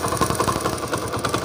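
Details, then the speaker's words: Motorcycle after tappet (valve clearance) adjustment and kick-jam fix: quick, even idle pulses with the earlier tick-tick tapping from the engine gone; valve train quiet and normal idle. "तो दोस्तों जैसे कि आपने इस bike का song check किया तो इसके साइड उबल को जबरदस्त हो गया है"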